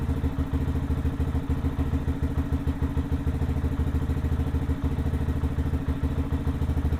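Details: Lifan KPM 200 motorcycle just after a dead battery was replaced (resting 12.8 V), checked for 13.5–14 V charging: steady, even low thumping idle with regular firing pulses and no knocks or rattles. Normal idle.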